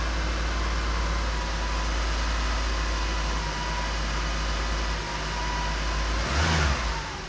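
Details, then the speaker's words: Porsche 912 run out of gear, gas pedal connected, about a gallon of fuel in tank: uneven wavering lumpy idle with uneven blips, worse than on engine stand; rough running, owner suspects fuel starvation from close supply/return lines, unconfirmed. "yeah it's not really happy because this doesn't sound as good as it does on the engine stand so let's do some more troubleshooting"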